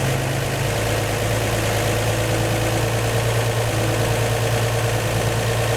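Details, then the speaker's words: 1954 235 inline-six in a 1949 Chevy 3100 after replacing the leaking exhaust donut at the front Fenton cast-iron header and tightening the bolts: a steady, even idle with no puffing or ticking, so the leak is sealed. "all right that seems to have gotten it the other one was a little bit loose too so i tightened him up some"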